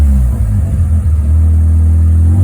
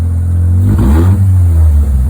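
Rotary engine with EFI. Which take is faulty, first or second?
first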